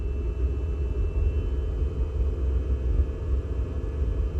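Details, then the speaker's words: Diesel heater, fan slowed and glow plug on during cool-down: low steady rumbling roar with no fan whine as oil that built up (too little oxygen to burn it) now burns off in the combustion chamber. "there now you can hear the oil burning now that the fan has slowed down and the glow plug turned on"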